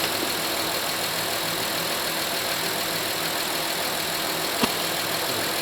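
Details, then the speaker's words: Honda Pilot 3.5L V6 first started after a 100k timing belt, water pump and tensioner replacement and a power steering fluid top-up: steady, even idle with smooth hiss, no knocks or ticks. Everything sounds really good; normal idle. "I'm going to start it up. A little bit more. I'm pretty sure we're good. Everything sounds really good."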